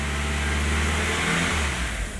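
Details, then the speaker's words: 1999 VW Passat 1.8L turbo after clearing codes, fuel pressure 50 psi good: revs held steady then sag and roughen with no throttle change, idles smoothly when eased off; later confirmed faulty mass airflow sensor. "it'll hold steady and then all of a sudden I don't move my foot at all and it'll want to fall on its face"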